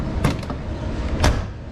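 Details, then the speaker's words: Nissan Sunny truck (Datsun 1200) door panel after applying Carbuilders sound deadening: two dull short thuds about a second apart with no ring; well deadened. "Fabulous. As compared to one with you know, it's amazing. This stuff's really good."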